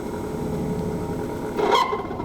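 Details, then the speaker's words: 1963 Plymouth Valiant buried 41 years, heater switches missing and wired under the dash: blower motor gives a thin steady whir with faint hum, works but weakly; weak heater blower. "not very good but it does work"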